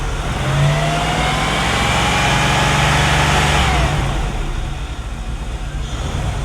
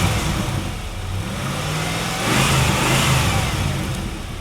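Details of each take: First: 1997 Chevrolet Camaro SS LT1 V8 at idle and revving, misfire other shops couldn't fix, no check engine light: slightly uneven beat with faint stumbles, a light miss; suspected running rich. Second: Low-mileage 1997 Chevrolet Camaro SS with misfire two shops couldn't fix, after cleaning injectors gummed by long-sitting fuel: clean, even idle rising smoothly through a quick rev and settling back, no stumble or misfire; much smoother.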